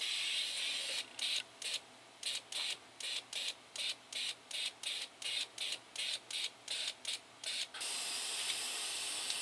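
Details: Toyota 22RE fuel injector bench-tested after cleaning and rebuild with new filter screen, O-rings, gaskets and pintle cap: sharp, evenly spaced hissing bursts, about two or three a second, each cutting off cleanly; it sprays properly.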